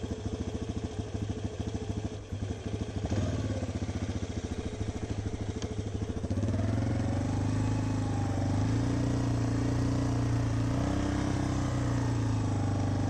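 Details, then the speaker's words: 2006 Yamaha Raptor 350 single-cylinder ATV, ridden under load in first gear: rapid, uneven clatter knocking through the exhaust beat, sounds crank-like, mostly in first gear, occasionally other gears; transmission suspected, crank bearings possible; knocking in first gear. "It kind of sounds like a crank. But, it only does it in like first gear."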